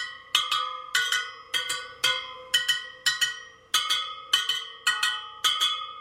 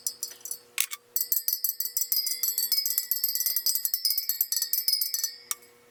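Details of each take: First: Sur Ron Light Bee supermoto front wheel build, second round of pinging spokes, about two a second: bright metallic pings with one at a slightly different pitch, so that spoke's tension is off and gets a quarter turn. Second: Sur Ron Light Bee supermoto front wheel build, final round after tightening a dead-sounding spoke: quick run of clear bright metallic pings, none dull, even spoke tension before checking the true.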